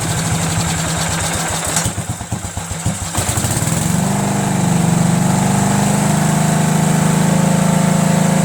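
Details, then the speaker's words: Cub Cadet lawn tractor, Kohler Command single: chugs unevenly, then settles into a steady idle hum; barely any pulse from the mechanical fuel pump at full throttle (worn actuator tip), needs 3/4 choke, carburetor also suspect. "when I was running at full throttle like that right put my finger here and I could barely feel any pulse at all"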